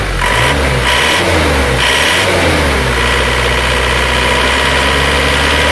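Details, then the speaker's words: Isuzu Panther diesel with rough sound and oil-filler-cap smoke, cold, revved up and down. A hard, rattly truck-like clatter rises with revs; the injection pump timing is felt to be too far advanced. "Saya tidak suka karakter mesin yang suaranya galak krang seperti truk kalau Panther Saya lebih suka yang halus tapi tidak mengurangi tenaga"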